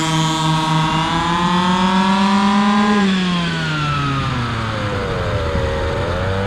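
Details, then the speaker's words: Stock 1:5 scale RC car at speed during carburetor tuning: high buzzing note climbs, then sags and wavers at the end of the pass. Owner thinks it leaned out, short of fuel. "ah almost sounded like it uh leaned out at the end there"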